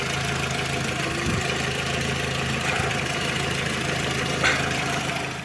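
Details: Skoda Octavia Tour / Golf IV petrol engine (AKL/AEH) idling after a poor-quality aftermarket throttle-body hose was replaced with the old one: steady low hum, the whistle under the hood gone.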